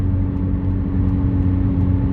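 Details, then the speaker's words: 2010 Kia Soul, driving: deep, loud, blatting rumble with an open, raspy exhaust note; exhaust leak. "so there you go exhaust leak Kia Soul another one to do"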